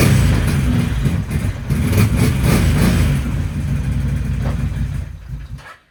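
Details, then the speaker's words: 2011 Can-Am Outlander 800 XTP test ride after a used ignition switch swap, no check engine lights: uneven lumpy exhaust beat stumbling as throttle opens, then fading; misfiring, running on one cylinder, barely made it back. "no check engine lights or anything on the dash but it's definitely not running on two cylinders like it's running on one"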